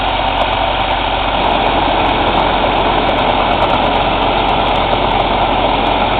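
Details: Cummins ISX CM2250 diesel at steady idle during DPF regeneration: rapid loud airy chuffing from the intake over the engine note, no mechanical noise or metallic knock; owner suspects turbo chuff during regen, unconfirmed.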